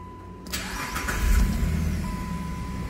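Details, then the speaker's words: 2011 Jeep Liberty with an intermittent no-crank when hot and no fault codes. Battery, starter, fuse box/TIPM and engine computer were ruled out. Quiet, then a brief crank and the engine catches to idle. The ignition switch is the cause. "Hay algo aquí señores en este switch de inición que está dando problemas"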